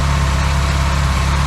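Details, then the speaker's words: Classic Austin Mini engine idling on first start in 9 months with basic ignition timing and no coolant yet; smooth even low hum with steady idle rhythm, no knocks or rattles, oil and charging lights out, no leaks. "oil lights out charging lights out no leaks and obviously it was moving so yeah i'm well pleased"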